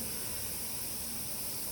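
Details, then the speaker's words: Home central-heating radiator bleed plug opened anticlockwise with a bleed key: a steady, even hiss with no pulsing as trapped air escapes until water arrives. "proj anahtarıyla solaa doğru çeviriyorsunuz ve ses geliyor yani hava sesi geliyor ta ki bu su gelene kadar bu şekilde"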